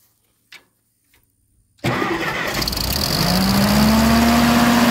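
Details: Classic TO20 tractor restarted after checking fuel bowl, cracking fuel valve open and confirming spark: engine catches at once and climbs to a steady even run; normal start, though a fuel clog is still suspected.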